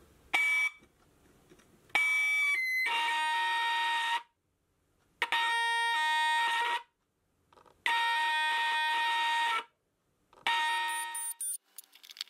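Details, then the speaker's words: LM358/LM386 microphone-tester amplifier board, after adding the missing wire to the plus voltage rail; four bursts of steady, piercing whistle with silence between; expected feedback howl showing the board now works. "This time, we will hear the howling, which is expected behavior."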